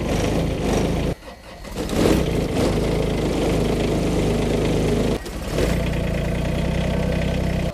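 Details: Kubota small diesel tractor in cold winter weather: the engine catches quickly after brief pauses and settles into a steady diesel clatter at idle. A normal, clean cold start.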